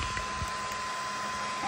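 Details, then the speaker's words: Toybox 3D printer, warmed up, loading filament after a problem with filament not feeding: even soft whirr with a faint steady tone and no clicking or grinding. The earlier noise is gone and filament now feeds normally. "let's see if it makes that noise no noise fantastic that's a good sign"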